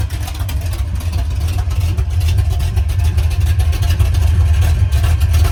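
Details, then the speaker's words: Freshly rebuilt V8 race car at first fire-up after new pushrods, lash set and starter installed; runs rough with an uneven loose rattling under the rumble, also rattling briefly at shutdown. Owner unsure whether the starter is stuck or the header collectors are vibrating. "Something doesn't sound too great. I don't know if the starter's stuck or if it's the header collectors vibrating."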